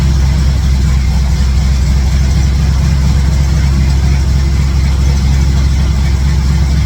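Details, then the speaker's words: 1967 Chevy C10 truck V8 with ball-seat headers, started after exhaust-leak work and with all plug wires reinstalled: steady, even deep idle with no ticking or puffing at the headers. Sounds like all eight cylinders firing, no major exhaust leaks heard, so a normal idle. "it doesn't sound too bad uh I don't know it's burning some stuff off just for my hands touching it and stuff but uh sounds like it's got all eight cylinders"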